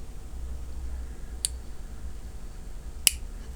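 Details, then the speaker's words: Instantaneous tankless water heater selector knob: two crisp isolated clicks a second and a half apart, a detent marking each position with no electrical switching; normal selector detent click. "он щелкает вот ну это вот для чего он щелкает но просто знать что ты в это положение вы перешли и все а он ничего не включает и выключает"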